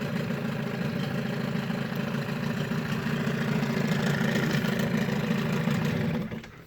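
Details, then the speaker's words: Evinrude 15hp long-shaft two-stroke outboard, compression about 100–110, carb cleaned, new water pump and gear oil; steady, even burble at fast idle for about six seconds, then a clean shutdown, running pretty decent. "So yeah, that's pretty much it. I mean, you can hear it's running pretty darn decent."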